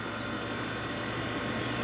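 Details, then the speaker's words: Jeep 4xe: HVAC blower kicks in with climate set to 60 degrees on high, not warm outside; steady airy fan rush with faint hum, even and unchanging; the noise varies with cabin temperature; normal AC blower. "kicking in right now which is the hvac unit so that's your air conditioning running we've got we've got it set to 60 degrees on high inside the vehicle"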